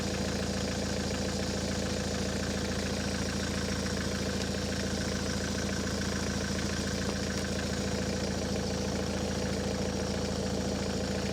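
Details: Ford S-Max 2.0 TDCi diesel, 2010, about 80,000 miles, idling after a fuel filter change and priming: a smooth even diesel clatter at steady idle, no hunting or stumbling, and it hasn't cut out. Normal diesel idle.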